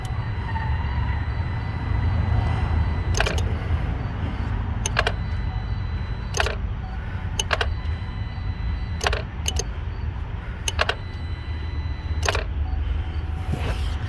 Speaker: That's our fuse box cycling power on and off and on and off and on and off. And that's because when they put the engine back in, they did not route the wiring back correctly, so it causes problems.